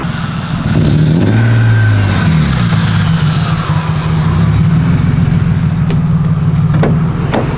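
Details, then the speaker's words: Project car doing a first-gear pull toward the limiter: the engine revs up hard, then the note turns ragged and stumbles instead of pulling cleanly, and it can't be revved at all. This is consistent with a misfire under load; the cause is not confirmed. "you cant actually rev it up like at all, when you do a pull in the first gear, it starts misfiring like a good pull, till limiter type of pull"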